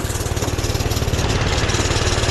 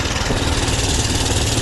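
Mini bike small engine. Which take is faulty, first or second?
first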